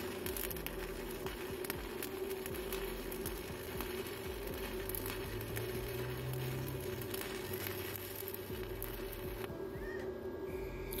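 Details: GB (Goudenbur) MMA 200 stick welder with arc force, welding a bead along plate: even, crisp continuous crackle with no pops or sputter breaks; stable arc, healthy welder.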